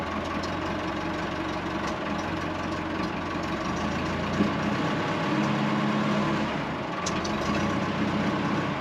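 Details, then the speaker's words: Late-1980s/early-1990s Massey Ferguson 50H 2WD backhoe loader, 4-cylinder Perkins diesel, on a restart attempt: a quiet diesel chugs unevenly at low speed, beat wavering and sagging near stalling; fuel not fully primed, owner suspects air in the fuel lines. "So for some reason, the fuel is definitely not fully primed. I think we've got some air in the lines, so I'm gonna try and correct that now."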